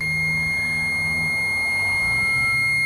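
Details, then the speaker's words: Multimeter on auto-ranging, leads touched together while testing a relay: steady piercing continuity beep for three seconds, showing slight lead resistance; normal continuity reading. "get a beep and looks like I've got a little bit of resistance in my lead it's not that much but if we see that much when we're doing our testing we know that we have continuity"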